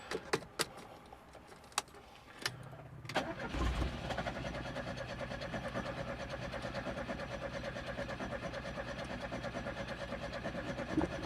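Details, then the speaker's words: Classic Fiat Spider with a new electric fuel pump on a relay and fuel reaching the carburetor: a few clicks, then steady cranking about two turns a second that never catches. Owner suspects a flooded cylinder; the carburetor was later found gummed up. "That's just the starter fluid going, not the actual motor, but there is fuel getting in there, so sounds like we might have a flooded cylinder. Something is amok."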